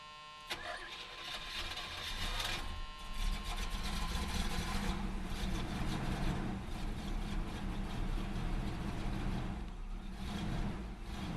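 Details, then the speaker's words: Oldsmobile 403 V8 in classic G-body, previously wouldn't idle and ran like four cylinders, after carburetor cleaned of carbon: short crank, quick catch, steady even cold idle with slight hiccups; normal cold start and idle. "Other than a few hiccups, it seems okay. Thing's just cold."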